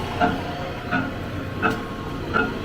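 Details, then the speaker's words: Neglected saw being tested for whether its three-phase motor is worth restoring: steady motor whir with a sharp knock about every 0.7 seconds, running backwards, suggesting swapped phases; knock source unknown. "a knock going on hot"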